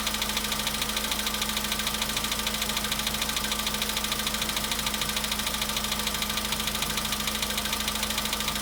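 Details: VW Polo Sedan at 93,000 km, after a cold start: sharp, steady ticking knock about 200 times a minute over idle; engine knock, source not yet pinned down.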